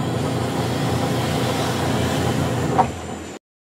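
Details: White Westinghouse washing machine wash motor tested: steady even churning hum, no knocks or grinding, stops cleanly; wash drive healthy.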